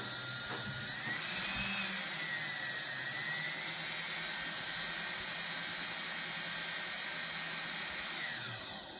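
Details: RS2205 motor: thin, piercing high-pitched screech rising and falling with motor speed, cutting off as it spins down; rough-running, screeching motor.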